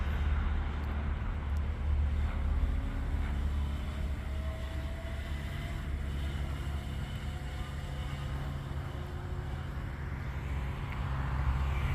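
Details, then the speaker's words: Razor MX500 upgraded from 36V to 48V with an 1800W brushless motor kit, high gear top-speed run: steady low electric hum with tone still rising as it gains speed (reached 28); motor pulls smoothly, healthy. "He's going to use the longer lane here because the short part of the parking lot here isn't quite long enough to hit top speed for high gear."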